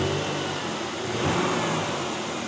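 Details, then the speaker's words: Oldsmobile after sitting for years, fresh oil change, cold start: petrol engine idles steadily and evenly with a soft whooshing air pump feeding the exhaust; running really nice. "But yeah, no, I mean, it's running really nice."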